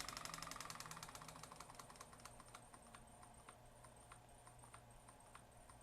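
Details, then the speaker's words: Waterpik SF-03C/SF-03W that stopped working; pump motor run directly on bench power around 2 volts drawing 33 amps, buzzing with light ticking about four a second, fading as it slows; motor runs fine. "the motor is running perfectly drawing 33 amps you can kind of hear it pumping"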